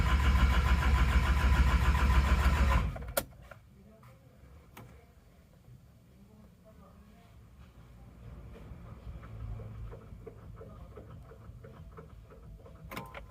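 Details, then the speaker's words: Isuzu Panther Miyabi diesel after engine overhaul cranking steadily about three seconds without firing; glow plugs got no power despite the relay switching on, and fuel had drained back to the tank; no start from dead glow plugs. "masalah ternyata adalah busi pemanasnya itu gak ada setrumnya jadi walaupun di tombol relnya on itu enggak ada setrumnya"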